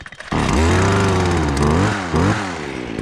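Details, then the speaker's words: Stihl KM56RC Kombi two-stroke after a pop and failure under hard hedge-trimmer use, with fuel added: catches cleanly and revs crisply with no stumbling; runs normally. "There we go. We seem to be working if you seen that. Let this thing warm up for a second."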